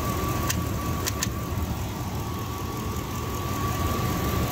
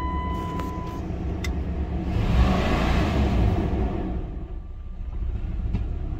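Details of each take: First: 1999 Dodge Durango SLT, sat 14 years, after correcting the firing order and fitting the oil cap, warming up on 91 fuel: steady, even idle with a faint high whine; earlier knock blamed on old oil and crossed plug wires. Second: 1999 Dodge Durango SLT that sat 14 years, after reinstalling the exhaust manifold and plug wires: uneven, lumpy idle with a stumble that persists through a brief rev. Misfire; the owner believes two plug wires are swapped and thinks it is the rear two.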